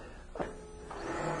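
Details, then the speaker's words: 2002 GMC Jimmy with intermittent cranking no-start, no spark: after a click a faint steady electric whir comes up, likely the secondary air injection pump running during a test-light signal bypass; 12 V feed to crank sensor missing. "did you hear that we just did a signal bypass I think the air injection reaction just jumped there so that's good"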